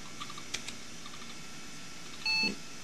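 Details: NEC Ready 9625 PC at power-on after hooking up CPU heatsink fan, 32 MB RAM counted; quiet room, a few soft clicks, then one short clean beep as memory count finishes: normal single POST beep.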